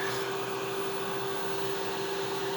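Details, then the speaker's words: Splash pump keeps running once switched on, never cutting out, even with inlet off; left on for hours it got too hot to touch. Constant fixed mid-pitched whirring hum that never cycles off; cause suspected, not confirmed. "So here's our pump, and when we turn it on, we've been using it off only until we water, and when we turn it on it'll start up, but it keeps going."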